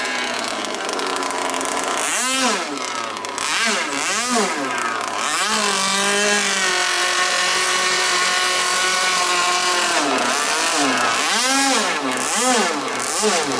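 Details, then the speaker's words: Jet boat engine on a river trial after an impeller change: harsh, very loud buzzing two-stroke blipping up and down with a raw crackling edge, running without its silencer. The motor mount came off during the run. "I don't think I'm going to run it tonight. It's without the the silencer on it."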